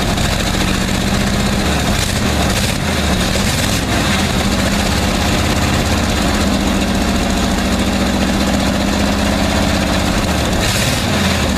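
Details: 1959 Chevy Viking 60 tow truck started after sitting about 12 years: old engine holds a steady, low, rumbling idle without stalling or missing, smelling of gasoline.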